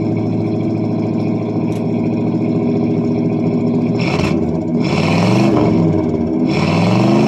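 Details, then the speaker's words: 1978 Pontiac Bonneville 301 V8 at cold idle after nearly two months sitting; single-chamber muffler, no cat. Loping pulses and surging revs as the carb struggles. The owner suspects a plugged idle circuit, since it won't idle once the choke is off. "now the old carb is not liking it starting to warm up a little bit"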